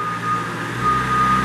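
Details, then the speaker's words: 1994 Moffett M5000 truck-mounted piggyback forklift, 12 ft mast, freshly serviced: steady diesel drone with even hydraulic pump note under constant reversing beep as mast and carriage cycle back and forth; pump and motors sound strong and healthy. "I'm going to show you that the pump and motors are strong, back and forth."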